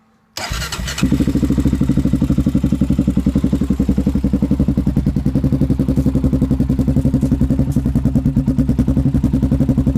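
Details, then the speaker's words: Honda 400EX with HMF exhaust, rebuilt engine running again: starts, then loud single-cylinder idle with strong even thump and faint light clatter at top; owner unsure, suspects some valve chatter. "you might have been able to hear the valve chatter in it I'm not for sure but when you're at it it's still got a little bit of valve chatter to it"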